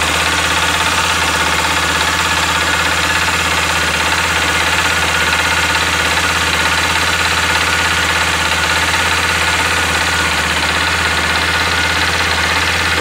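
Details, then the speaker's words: 2018 Honda XRE 300 with 7,229 km: a fast, fairly regular knock, about three per second, over a bright rattly idle. Owner likens it to a connecting-rod knock but lower; cause unconfirmed. "é um é tipo que estão batendo ensaio pra quem é o mecânico vai conhecer o tipo soaria de biela também só com muito mais baixo quando está no começo vou ligar aqui pra vocês verem a zoada"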